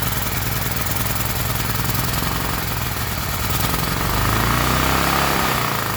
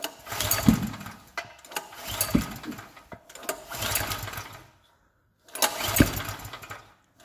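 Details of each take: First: Gasoline generator's small single-cylinder engine chugs at a steady fast beat with a slight swell near the end; running normally. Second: Gasoline generator repeatedly pull-started: each attempt gives a short sputtering burst that dies within a second or two, and the engine never catches and runs. Generator won't start.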